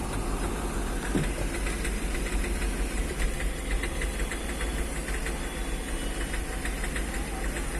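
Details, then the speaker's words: Hyundai Xcent diesel: after the accelerator is blipped and released, revs hang near 2000 rpm with a sharp repeating knock, misfiring and heavy white smoke. Scan showed only a power-steering fault; injectors had been replaced and pump checked. The cause was a faulty engine control module. "और इसका engine knocking कर रहा है क कड़ क और white smoke मार रहा है"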